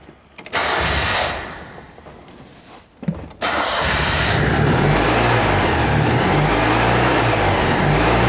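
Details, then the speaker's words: Citroën 2CV engine started after tappet clearances were loosened, oil just changed: after a few cranks it settles into an even fast idle with a light quick ticking. Tappet noise, clearances probably set too loose. "or that does sound a bit Tuffy maybe I went to loose"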